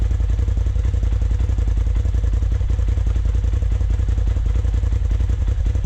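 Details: 2020 Polaris RZR Turbo S Velocity turbo engine after a Trinity Stage 5 slip-on exhaust install, idling with deep, even exhaust pulses at a steady lumpy idle and no knocks, ticks or rattles; normal idle.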